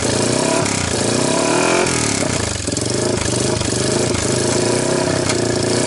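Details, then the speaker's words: 1998 Honda TRX300EX ATV after previous owner's engine rebuild, valves checked good: unevenly running single, pitch wandering and stumbling on throttle blips, slow to pick up revs; rough running, owner suspects timing chain one tooth off. "I'm wondering if the tiniest is maybe they are one step off on the timing chain it seems like when I give it gas it like you know thinks about it"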